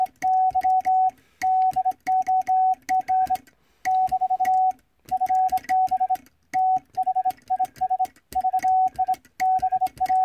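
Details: Vibroplex bug Morse key after adjustment on a stable mat, arm set to contact point; crisp evenly spaced dots and clean dashes on a steady mid-pitch tone, consistent rhythm, well adjusted and sending cleanly.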